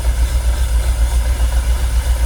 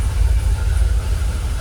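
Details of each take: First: Jaguar XKR, fuel pumps dormant ten years, fuel pressure gauge on Schrader valve reading 45 psi: heavy, lumpy idle pulsing about four times a second with uneven beats, engine visibly shaking; rough idle, cause not yet found. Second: Jaguar XKR idling about 800 rpm, fuel pressure holding 45 psi: deep, even low rumble with no misses, knocks or hunting; engine calmed down, much smoother, no longer rocking; normal idle.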